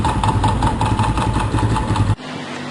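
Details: Small single-cylinder motorcycle engine at idle in the workshop: a steady, rhythmic knock deep in the bottom end. Worn crankshaft bearing, later resolved.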